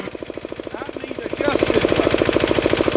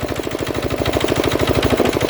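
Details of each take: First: Diesel air compressor during a start and pressure test: fast steady chugging with a hiss rising over it as pressure builds; the safety valve vents before the unloader cuts in. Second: Diesel air compressor charging under load after cutting back in at 125 psi (unloads at 150 psi): a fast, even chugging of about eleven pulses a second with a firm beat, pumping up normally.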